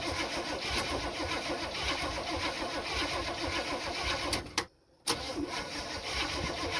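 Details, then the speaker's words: 1974 Chevy C10, points ignition, after cleaning the points and distributor cap pins: steady starter cranking with no catch or firing, then a brief stop; cranks but no start, no spark. "We don't have spark. And why don't we have spark is the question."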